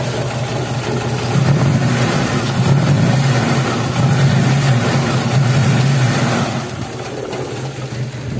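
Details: Daihatsu Taruna EFI in neutral before tune-up, complaint of stumbling and lack of power, no DTCs; engine revving with uneven lumpy beat about three pulses a second under throttle, misfiring.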